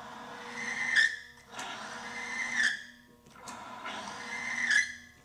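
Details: Timken bearing friction test rig running an OEM-equivalent power steering fluid: a rising and falling high-pitched squeal swells each time load comes on as the loaded bearing rubs and the lubricant film breaks down; cause suspected, not confirmed.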